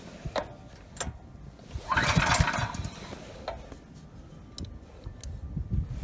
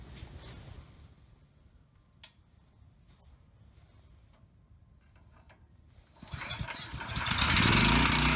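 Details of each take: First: Ryobi RY905500 5500 W generator, new recoil rope, choke on: scattered recoil pulls spin the engine briefly without catching; it runs on starting fluid, so it isn't getting fuel, main jet probably clogged. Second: Ryobi RY905500 5500-watt generator bought with a broken recoil rope, started with no load: it fires after about six seconds and settles into a steady drone without surging. It runs and makes power, but one side has no output (tripped GFI suspected).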